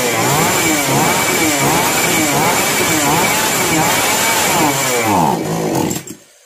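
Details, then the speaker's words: Chainsaw model 652 (as transcribed), started on hand-applied choke after carburetor adjustment; revs surge and sag unevenly about every second, then cuts out on throttle. Problem not solved by carburetor setting; a faulty spark plug is suspected and a new one is fitted. "इस plug जब suit करता है तो machine इसी तरह से रूक-रूक कर चलता है एस लैटर लेने पर मशीन अचानक से बंद हो जाता है"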